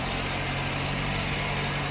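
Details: 2006 Suzuki Aerio idling after alternator replacement: smooth, even low hum over background traffic, no whine, squeal or knock, charging at 14.25–14.3 V; normal.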